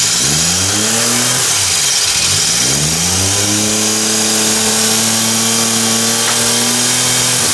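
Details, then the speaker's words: Car engine revving then settling with a thin scraping squeak; a clamp left unhooked after reassembly fell down and rubbed the serpentine belt, belt only lightly scraped, idle being manually adjusted after refit. "I forgot to hook this clamp up fell down that squeaking noise was it hitting against the serpentine belt"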